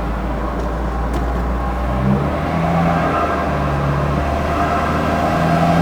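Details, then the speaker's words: Ford Escort with VW 2.0 TFSI BWA engine swap on dyno; hard drone under load with uneven surging and missing pulses, some backfiring and wheel spin. Engine stumbling; cause unconfirmed, log to be checked. "it's not happy sounded like you're wanting to boost oh definitely make it moose got an issue of wheel spin and something else back firing a little bit"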